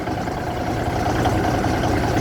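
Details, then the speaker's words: Big cam Cummins diesel six, first start-up after conversion from low-flow to high-flow cooling, idling while warming up; deep steady rumble, even beat, no knocks or misses. "if you all haven't heard of a big cam idle it don't sound like a modern truck so it's supposed to sound"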